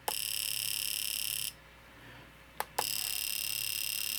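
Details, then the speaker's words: Fuel injector driven by an injector tester in pulse mode: crisp, rapid buzzing clicks in even bursts, each pulse a clean injector activation; normal injector operation. "So, you can see the signal and you can hear the injector being activated. And each time it's pulsing right there, that's each time it activates."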